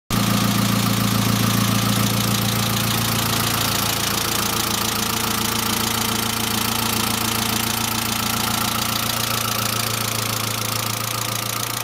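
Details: Saab C900 after engine/head rebuild, idle: quick, even ticking about three or four per second, valve lifter tick; no oil leaks, oil pressure lamp off; oil return leak apparently ruled out, owner now suspects oil pressure relief valve not thoroughly cleaned.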